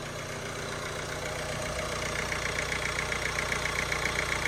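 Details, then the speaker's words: Ford Fiesta Vignale Mk8 1.5 diesel after timing belt and water pump replacement, engine management light on from unplugged components: even diesel clatter at steady idle, no stumbles, turbo audible; running healthy. "running and Ticking over lovely so it was a good job really"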